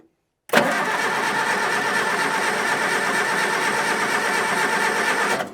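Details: Diesel on a communication tower found in a scrap yard, not started in 15 years, spins over steadily on the starter for about five seconds. The cranking rhythm is even but it never fires; white smoke follows and ether is considered.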